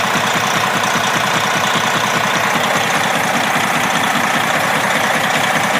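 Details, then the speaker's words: Detroit 60 Series 12.7 diesel truck engine, good oil pressure, recorded with hood open: even sharp knock about 2.5 per second over idle clatter; owner suspects broken piston skirt or wrist pin, doubts rod bearing. "My thought is it could be a broken piston skirt. This may have it, I assume it's a two-piece piston, but I'm not sure. It could be a broken skirt in the piston, could be a wrist pin problem, could be I hate to say a rod bearing because it holds such good oil pressure even when it's warm, like you see."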